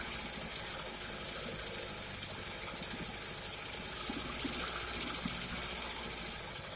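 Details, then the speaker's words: Early-1950s Goodyear Sea Bee 5 two-stroke outboard, first run in many years after draining old gas; busy, even buzz with no misses or knocks, running smoothly. "i was excited that that motor ran i really didn't think it was gonna"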